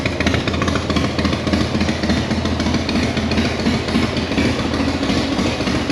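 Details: Harley-Davidson Sturgis motorcycle, carburetor float valve leak fixed, started on choke in neutral: fires and settles into a steady, even idle with no stumbling or misses; running normally.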